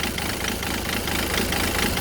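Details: Renault 1.5 dCi diesel at idle: loud, rough pulsing clatter several times a second, unsteady idle. The injectors were cleaned, and the owner suspects the pump; cause unconfirmed.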